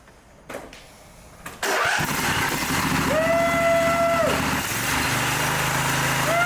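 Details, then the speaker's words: Mower engine after replacing a head damaged by a mouse nest, freshly reassembled: catches after a couple of pulls and runs evenly on both cylinders, sounding healthy, though the muffler baffles rattle and leaked oil smokes as it burns off. "well sounds like the baffles in the muffin are rattling around and of course we're going to get some smoke off of it because you know there's some oil and stuff that leaked on it so that's got to burn off"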